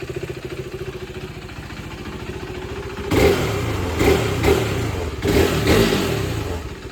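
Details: KTM RC390 after oil change, new brake pads and chain lube during rebuild: steady single-cylinder idle thump, then four quick throttle blips rising cleanly and settling back; normal idle and revving.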